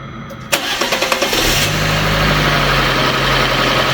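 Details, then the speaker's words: Fiat 500 after a new timing belt and clutch change, first start with parts still off: starter cranks about seven quick turns, engine catches cleanly and settles into a steady, even idle, pretty smooth. Normal start and idle. "Um, pretty smooth."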